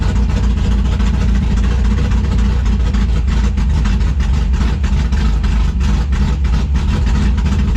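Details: 1964 Mercury Comet NHRA Super Stock drag car, 351 Windsor-based V8, 13.5:1 compression, timing locked at about 35 degrees, just started to get heat in it; loud, deep, lumpy, choppy idle with no knocks or ticks; healthy.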